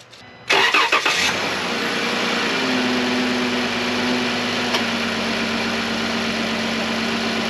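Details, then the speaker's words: Dodge Journey power steering pump after fluid change (old fluid suspected, pump thought fine), remote start: engine cranks, catches and idles with a faint steady whine; whine quieter than before but still present. "start I still hear a little bit of it but it's certainly quieter and as that new fluid Works its way into everything I'm hoping that it gets even better"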